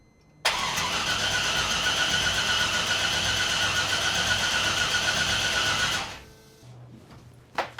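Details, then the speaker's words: C5 Corvette drift car after engine install, reduced engine power warning, no spark despite stock throttle body plugged in: starter spins steadily for about five seconds, never fires; cranks, no start, cause unconfirmed. "It's got no spark,"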